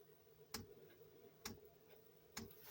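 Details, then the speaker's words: Chinese diesel air heater after priming: three sharp pump ticks about a second apart in a quiet room, burner repeatedly going out and giving no heat; cause suspected contaminated fuel, unconfirmed. "she was just burning again tick tick tick she was going out burning tick tick tick no there was no um no heat"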